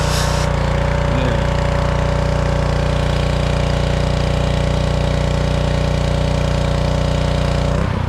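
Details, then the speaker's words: Honda GCV160 engine on a Black Max pressure washer, brought in as a crank no-start, now repaired and running under load with the hose connected: steady, even beat with no misses or knocks; normal running under load. "as you can see the pressure washer is fully operational"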